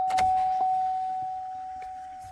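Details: GMT800 Chevy Silverado after a new transfer case encoder motor and a replaced blown TR 30 fuse, drive shaft not yet installed: a steady mid-pitched electric hum holds about two seconds and fades as the transfer case shifts normally.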